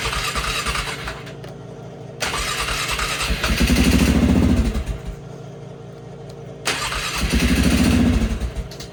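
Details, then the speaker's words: Flood-damaged 2001 Polaris Sportsman 500 HO cranking after refuelling; two long spells of rhythmic cranking, pulsing louder as fuel reaches the carburetor and it tries to fire. "Let's try to fire this up here. It's gonna take a minute to get that fuel into the carburetor."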